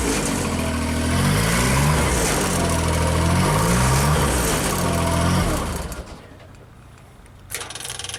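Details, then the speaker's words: JLG Baby Scissor lift small engine, cold day, new crankshaft position sensor fitted; with a function engaged engine speed rises and falls in steady waves. "So I started up, took it for a test drive, then the RPM started going up and down, up and down. What the heck is going on with this thing?"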